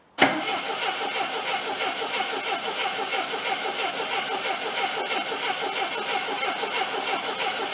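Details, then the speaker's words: 1979 Triumph TR7 with rebuilt carburetors from a parts car, tank drained: steady starter churning about a beat and a half per second, never catching; fuel pump not picking up, fuel starvation. "oh no fuel as of yet what I'm gonna do I'm gonna shoot something it the carburetors see if I can get to pick up"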